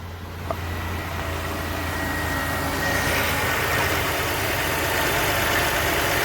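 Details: Chevrolet Impala running after repair of a no-crank, no-power-to-starter fault: smooth, steady low idle with an even beat and no misses or ticks; the engine sounds healthy.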